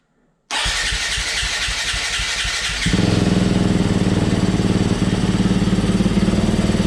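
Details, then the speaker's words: 2018 Yamaha YZ250FX, about 260 hours, after a crank-no-start fault: about two seconds of cranking, then it catches and settles into a crisp, steady single-cylinder idle; fixed by installing a new OEM fuel pump. "Well, there you have it, YouTubers. The problem was my fuel pump."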